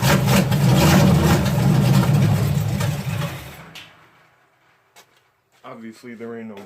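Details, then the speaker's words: Malibu stock car V8, first start on fuel poured into the carburetor bowl: loud rough roar for about three seconds, then it fades and stalls; owner suspects bowl overfilled (percolating) and timing possibly a little hot. "I could hear that little percolate thing when I was filling the bowl so I think I just filled it a little too high but theoretically it should have stayed run a little longer"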